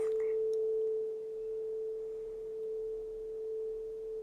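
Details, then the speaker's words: 30-year-old Soundtracs Jade 32 inline analog mixing console fed a sine-wave test tone while a channel pan pot is swept left to right: the tone stays clean and steady with no crackle or dropouts, so the pan pot is normal. "just making pan from left to right this one seems fine to me yeah great okay so the pan up is fine"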